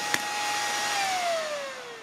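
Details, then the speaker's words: Chinese 24V 41.7A 1000W switching power supply module, unloaded, just after unplugging; it has a very loud fan and a clicking relay: a high whistle slides steadily downward in pitch as it powers down; strange noise, cause unknown. "can hear some very strange noises from it i'm not sure if you can hear it"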